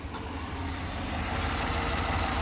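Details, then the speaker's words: 2015 Chevrolet Tahoe V8, 165,000 miles, just after a water pump replacement, cold oil, AC on: smooth, even idle with the earlier grinding bearing noise gone and lifters slightly noisy; sounds normal. "I don't hear any abnormal noises. We definitely don't have that grinding bearing noise like we used to have. So, lifters are a little bit noisy."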